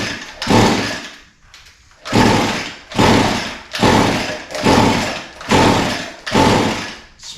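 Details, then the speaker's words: Echo SRM 225 line trimmer with fuel in the tank, primer pumped, choke on and switch on: repeated pulls about once a second spin it but it never catches. It smells flooded; the no-start was later traced to retarded ignition timing. "flooded I would have expected it to start by now but it smells flooded so going to pull it a few more times see what happens"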